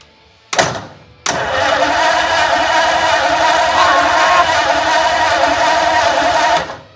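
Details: 1932 Ford project car cranking, fresh oil in, starter wired through the solenoid with the car in gear, so it moved: a strong, even whirr for about six seconds. Normal starter cranking.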